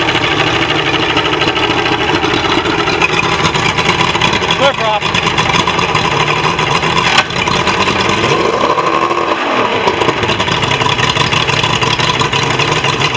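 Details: Mercury XR6 150 outboard after a no-start fix, with fuel system cleaned and new spark plugs: catches and settles into a steady, even run with no misses or stumbling.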